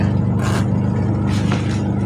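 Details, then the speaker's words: Polytron two-tub washing machine, wash motor that cut out in use, after repair (fault was the supply line/plug, not the machine), timer on and plugged in: steady low motor hum with passing swishes, no cutting out, running normally. "Kita nyalakan timer, lalu kita coba colokan ke PLN. Nyala. Nyala ya."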